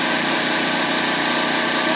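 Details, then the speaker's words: Free Echo two-stroke chainsaw with the bar and chain removed, fresh fuel mix, primer bulb pumped and choked, no repairs needed: a steady, high buzzing idle that holds its note without surging or dying; normal running. "all right I actually found that it had cured okay so as you saw I got the chainsaw running"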